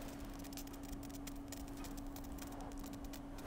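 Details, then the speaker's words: Rebuilt Stratasys Dimension BST 3D printer, testing a chamber heater after wiring the heaters through the Smoothieboard: faint steady hum with irregular crackling fizz. The heater is sizzling; cause unknown. "And oh, there's some weird sizzling. I don't like that. Oh, I don't like the sizzling."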